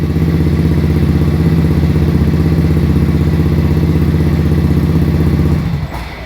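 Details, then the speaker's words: Honda Beat new fuel-injected scooter before repair; it idles high at first, then stalls as it settles to idle. Deep thumping at about four beats a second builds lazily and drops away under throttle. Sluggish, delayed throttle response. "lemot lemot kali motornya nih Hi Ho delay sekali ini oh delay sekali motornya pokoknya lemon ini dia juga nggak enak telat nih"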